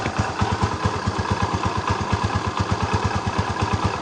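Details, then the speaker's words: Barako 175 single-cylinder that was noisy and hard to start, after the timing was corrected: it starts on one kick and idles with steady, even thumps, with no ticking or clatter; some older looseness is noted in the pinion gear and clutch housing; normal idle. "perfect mga bro. Oh napakaganda ng menor."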